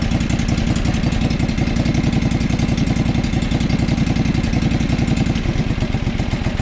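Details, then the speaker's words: John Deere 445 mower twin-cylinder idle test: loud rapid thumping that slows and weakens when a plug wire/coil is pulled, so that cylinder is firing; idle drops on each side, another unidentified issue suspected; white smoke from muffler. "so it automatically idles right down right let's go to the other side one more time interesting right so there's another issue i just don't know what that is"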